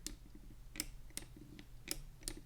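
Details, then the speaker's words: Cooler Master MM710 53G lightweight gaming mouse: crisp clicks with a dull creak in between when the right button is pressed down, even without pressing hard, from the shell flexing. "so were you guys able to hear that kind of creaking whenever I press down on the right click there"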